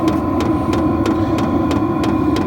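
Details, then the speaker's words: Vevor diesel heater from Amazon on a lower setting: steady fan roar with sharp regular tick about three times a second from the pulsating fuel pump, still fairly loud; annoying for sleeping. "it would be nice if we could get rid of this sound cuz it is kind of annoying especially if you're trying to sleep it's very annoying so now that I've gotten a lower setting might not be too bad but it's it's still pretty loud"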